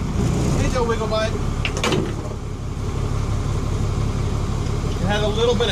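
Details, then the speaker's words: Diesel cranked about 45 minutes after last run, fuel system drawing air: churns at about four beats a second but won't catch; hard starting from fuel system air leak, possibly at cracked fuel separator bowl. "Hesitation. We'll try it again in a couple of hours."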